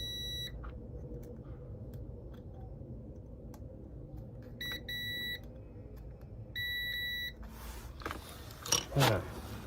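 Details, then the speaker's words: Honda VFR400 NC30 under restoration: short bursts of steady, high continuity tone over room hum show a short that should not be there. The owner will remove the part and recheck off the bike and suspects an internal short. "Unless I'm reading this wrong, I'm pretty sure I'm not supposed to have a short here."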